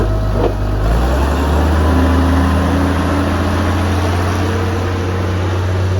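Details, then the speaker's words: Vintage Allis Chalmers TL-14 loader diesel, warmed up after about half an hour of snow plowing: steady, fast drone with a firm low hum and no hunting; idle sits a touch high, screw needs backing off, though lower setting won't keep it running cold. "I'm gonna have to turn that idle screw down just a hair. I haven't quite figured that one out yet. After about a half hour or so, she gets to running real good and settles in and needs to back off on the idle."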